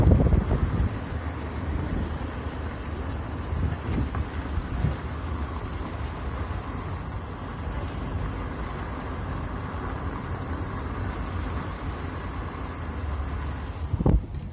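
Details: VW Saveiro pickup rolling and braking after the new pads were lubricated on their backs to stop vibration: low road rumble and wind, with no whistle or squeal from the brakes anymore.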